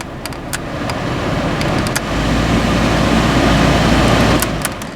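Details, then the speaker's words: Fiat Grande Punto heater blower after fixing overheated wiring block connector at the heater resistor pack: a few clicks, then smooth fan rush building to steady full power; working properly. "okay so that's working good Straight Up full power"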